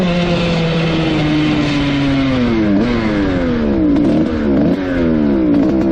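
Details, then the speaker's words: 2003 Suzuki RM125 two-stroke after fixing its bog, test run with 165 jet fitted: crisp revs climb and drop cleanly with no bog or stumble; zero issues, plug turning chocolate brown. "all right absolutely zero issues with the 165 in there so we're going to leave that"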